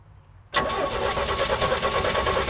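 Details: 1983 GMC Sierra, 250ci straight-six, sat 17 years: cranks, catches hard and revs briefly on a rough, lumpy beat, running only on carb cleaner poured into the carburetor, no fuel supply.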